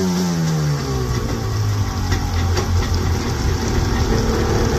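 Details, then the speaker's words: 1995 Yamaha Wave Venture two-stroke jet ski, revived after years sitting with carbs rebuilt and main jets turned in a quarter turn to cure a bad bog at sea level. It fires up, pitch sweeps down and settles into an even, buzzy idle with no stumble; runs clean. "She sounds a little bit better. It had a really bad bog, so fire it up."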